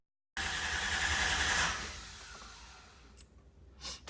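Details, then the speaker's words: 1995 Toyota 4Runner 3.0 V6: the starter whirs for about two seconds without firing, then winds down, cranking but not starting. There is no spark despite a new coil and the check-engine light stays off; the owner suspects the ECM isn't getting a signal or is bad. "so if I try to crank it this is what it does but it doesn't come on"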